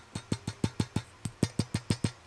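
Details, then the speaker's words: Fender Silverface Vibro Champ amp, unused for 40 years, with a replacement RCA output tube. Shaken by hand, the tube gives a quick, even rattle of about five clicks a second, like a baby rattle, so a new output tube will likely be fitted. "like a baby rattle so more than likely we'll be putting in a new output tube also"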